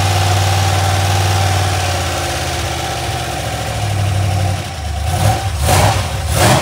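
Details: Iron 5.3 LS LM7 V8, believed 2002–2003, mileage unknown, likely BTR Stage 2 truck cam, on a run stand on first start; idle with light uneven valvetrain tapping before blips, lifters suspected not yet pumped up, one bank smoky.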